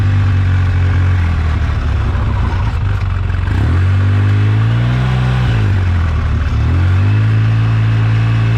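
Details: 2009 Polaris RZR 800 S: revs rise and fall over a loose, uneven rear rattle that comes and goes with revs; owner suspects differential, pinion nut or a CV joint/axle, unconfirmed; rear end rattle.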